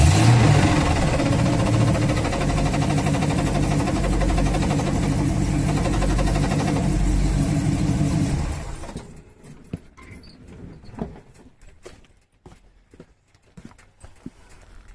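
Steady V8 idle carries a rough, regular rattle around three to four a second, then the engine cuts off; clutch-related noise, cause unclear.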